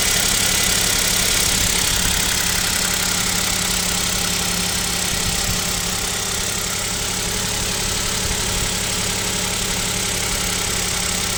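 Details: Kia Picanto 2, 1.0 G3LA three-cylinder, cold start at about -7°C: fast regular light dull tapping over hiss, possibly piston slap; owner suspects piston knock and asks if overhaul is near, unconfirmed.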